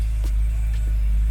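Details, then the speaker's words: BMW E90 3 Series on a test drive after front strut replacement, smelling like it runs rich: a deep, heavy low drone from the exhaust with little crispness. Owner suspects an exhaust leak or bad muffler, unconfirmed. "But that exhaust sounds like it, almost like it has a leak, but it or a bad muffler."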